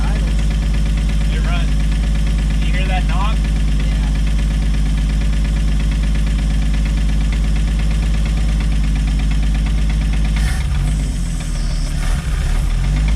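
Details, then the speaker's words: 1964 or 1965 Chevy G10 van engine, sat at least 25 years, first start after filling carburetor float bowl, smoking heavily: rough low idle with a dull knock each revolution, seemingly toward the back of the engine; unhealthy motor, bad knock. "You hear that knocking? That right there? No, that knocking when it was running. The motor's got a bad knock, and it sounds like back here towards the back."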